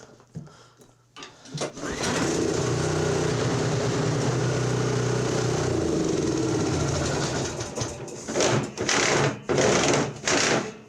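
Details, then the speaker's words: Toro 721 commercial Power Clear snow thrower, 7 hp, 21 inch, after repair, restart to confirm fix: catches and settles into steady even putter without stumbling; normal running, fixed. "Nope, wasn't a fluke. We fixed it. This one's done. Yeah, beautiful."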